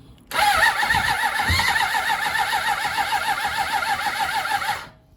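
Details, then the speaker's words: 1993 Suzuki GSX600F, after fitting a new hose and gluing the fix, battery weak before the booster is reconnected: starter whirs with a wavering, sagging pitch, about 3.5 pulses a second, turning over sluggishly; weak battery suspected, not confirmed. "you know the battery seems to go I have to put on the booster again"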